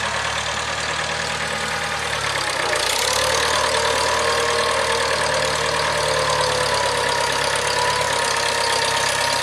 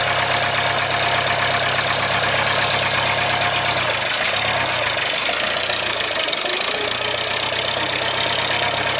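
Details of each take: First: 1975 International Harvester 574 four-cylinder under load after carb main jet adjustment: steady low drone with smooth even beat, no stumbling or misfire; running properly, sounds like new. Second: 1975 International Harvester 574 four-cylinder, cold start next morning on choke after main jet soldered and redrilled to size 62: slightly lumpy idle with a brief stumble, still a bit rich with a little black smoke, though improved.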